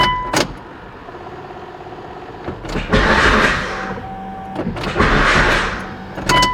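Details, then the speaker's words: Mitsubishi Evo 8 on jacks after new clutch and fixing a starter fault caused by a small wire: brief cranking then the engine catches with a strong surge each time; starting normally. "Oh, there we go. That solved my issue right there."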